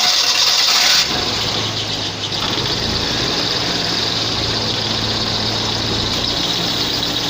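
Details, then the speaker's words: 2010 Suzuki Mehran after its burnt AC fuse was replaced with a 15 A fuse: the engine catches and settles into a steady, even idle while the AC compressor pulley now engages and runs, with no knocks, squeals or grinding. "तो ये आप देख सकते हैं कि अब पुली भी स्टार्ट हो गई है और यकीनन मैं उम्मीद करता हूँ कि अंदर कूलिंग भी स्टार्ट हो गई होगी।"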